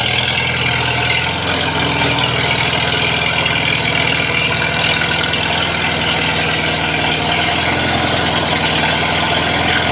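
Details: Old tractor restarted after stalling, gas possibly leaked out, refuelled: ticks over at steady even idle with no knocks or misses, lots of hiss on top; running normally.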